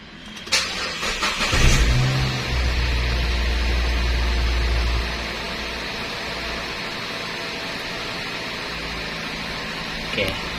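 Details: 2013 Nissan Grand Livina, started after the horn spiral cable was replaced and the battery negative terminal reconnected. Short crank, catches with a quick flare, then drops to a steady even idle: normal start.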